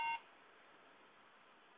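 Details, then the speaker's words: Late 2009 MacBook after a RAM upgrade to 8GB: a single short, bright electronic beep at power-on, then only quiet room hiss; memory error, the new RAM not being accepted. "And we have a problem because it's just beeping. Uh for some reason it's not uh taking the RAM."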